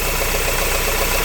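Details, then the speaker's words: Renault Laguna 3 2.0 dCi diesel at idle with a fast, even rubbing whirr on top; owner suspects a noisy bearing, during a timing chain replacement job. "avant un froid il le faisait ça faisait un bruit de frottement"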